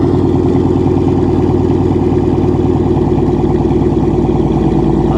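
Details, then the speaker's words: Salvage-auction V8 car at Copart listed as non-runner, with a burnt-titanium-look exhaust: deep, loud, regular exhaust pulses at steady idle, running clean and even; normal idle. "sounds right yeah mr savage mad props man mad props because that thing sounds right"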